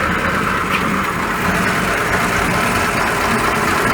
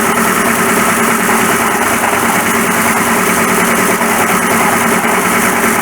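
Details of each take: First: 1941 Ford pickup after fixing noisy water pump, reassembled and test-driven about 10 miles: steady even idle with soft smooth hum, no knocking, ticking or squeal from front; nice and quiet, healthy. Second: 1941 Ford pickup at idle, noise suddenly got much worse: a steady harsh rattle and whirr at constant pitch from a replacement water pump that is failing, its dry, oil-starved bush chattering.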